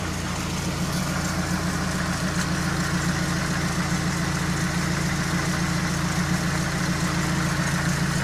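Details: GAZelle van with a ZMZ 405 petrol engine that had started knocking, after repair with the timing set precisely (lifters checked OK): now idles with a smooth, even hum and no knocking.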